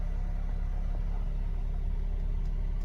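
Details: 2004 Mercedes SLK 230 automatic, 55,000 miles, just started: low, even rumble at a steady idle with no ticking, knocking or hunting; normal idle.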